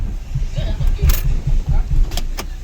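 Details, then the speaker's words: 2015 Kia Forte with code P0743 that stalls when put in Drive or Reverse: the low idle lurches in uneven thumps and nearly dies once shifted into reverse; the torque converter clutch solenoid wire is shorted to ground. "and the vehicle well jerks a lot and tries to turn off"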